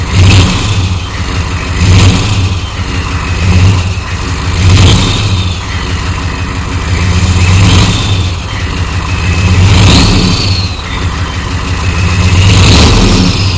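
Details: 1993 Chevy dually 6.5L turbo diesel 4x4, smoky startup without block heater, throttle blipped: clatter rises and falls with each blip; an engine knock is claimed but doesn't stand clear of the normal clatter.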